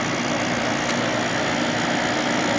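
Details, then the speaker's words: 1995 Carrier VisionAire A/C after clean-out, rear Fasco fan motor freshly oiled: steady, even whooshing hum with no squeal, tick or scrape; fan seems happier now that it's oiled. Normal fan running. "fan in the back seems happier now that it's oiled certainly does"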